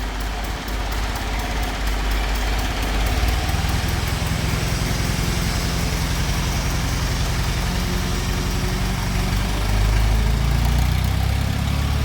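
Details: 50-year-old International 4030 yard crane diesel at idle, before head gasket replacement: heavy, uneven chugging about 220 beats a minute with a ragged puffing edge; head gasket blown at the front between cylinder one and the water pump.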